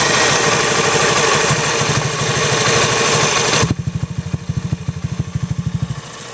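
Scooter idling with a sharp, regular tick about three times a second over the engine beat; the clicking source is not identified.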